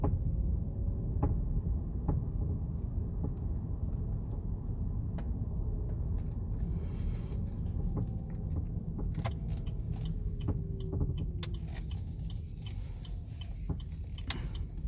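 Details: 2018 Chevrolet Bolt: irregular creaks and light clicks from the suspension over low road rumble at slow speed, persisting after dealer replaced the stabilizer bar and right link; cause suspected, not confirmed.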